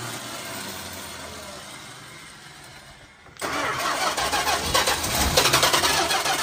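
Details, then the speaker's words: 1972 Plymouth Fury ex-Michigan State Police cruiser, 440 big-block V8, sat nearly a decade. It catches abruptly and runs loud and rough with uneven surging. Owner suspects gummed-up stale fuel; the fuel pump is known to need replacing. "well we know it starts yeah it's just that the fuel is pretty much gummed up in there still probably yeah"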